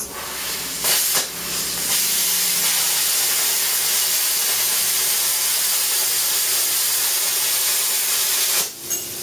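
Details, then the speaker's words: Non-pilot-arc plasma cutter cutting slightly rusty steel after the torch touches the work: a loud, steady, high-pitched hiss holds even for about eight seconds, then cuts off; normal plasma cutting. "and now it works again a non-pilot arc so the difference in these things is it depends what you want to cut"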